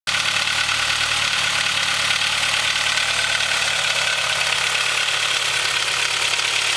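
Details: Honda H22 with Mahle Gold Series pistons, cold idle: fast hollow clatter under a hissy top end, piston slap from slightly too loose piston-to-wall clearance; rebored with oversized pistons after about 5k miles, no skirt, wall or ring damage.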